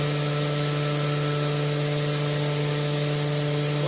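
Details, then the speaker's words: Hydrovane workshop compressor just drained, running with an empty tank: steady rushing hiss over an even motor hum as air fills the tank; noise fades once pressure builds; normal, not an air leak. "You can hear air rushing like mad now. That's because it's filling the tank, because the tank's empty."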